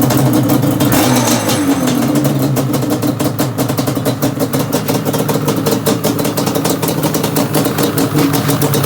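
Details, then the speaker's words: Yamaha Banshee two-stroke twin after chain replacement, clutch adjustment, loose idler gear repair, and carbs cleaned and synced: even, crisp crackling firing beat that picks up smoothly on the throttle, running healthy. "put it all back together so really fired up son let's have a listen this is a nice bike"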